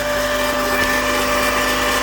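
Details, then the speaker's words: 1999 Mazda Miata, 190k miles, on a cold start after days in the low 20s °F: a steady mid-pitched whirr of unknown source that has always occurred on cold start and goes away once warm. "it has always made that noise and it goes away once it's warmed up I don't know what it is and I don't care"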